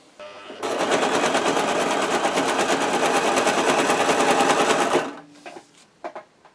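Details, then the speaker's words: Brother JS-23 sewing machine stitching with a harsh, rattling clatter; upper thread loops underneath and won't tighten because the shuttle binds in its race; burrs on the shuttle retaining ring and needle plate hole clogged. "попробуем Ну вот очень сильно тянет наниз попробуем прикрутить очень сильно очень сильно тарахтит и нитка всё равно не затягивается"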